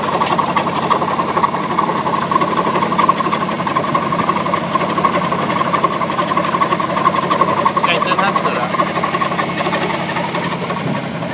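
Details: Alfa Romeo 156 engine at idle: steady running with an uneven, rough clatter riding over it; abnormal engine noise, cause not clear.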